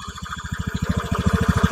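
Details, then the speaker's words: Honda Beat CVT after repair: low, even putter at idle, steady and smooth with no roughness from the drive; idle sounds stable and normal, no abnormal noise. "untuk suaranya silakan didengarkan stabil halus saat RPM tidak ada kendala tidak adanormal"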